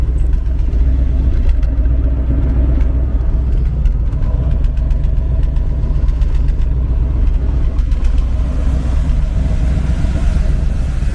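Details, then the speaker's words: 1977 C3 Corvette, original survivor car, first start of the year: deep steady V8 engine and exhaust rumble at an even idle with a smooth loping beat, no knocks or ticks; healthy engine. "which you can see a little bit more of this Corvette and hear the cool sound of the engine and the exhaust and making that mid-70s kind of cool rumble."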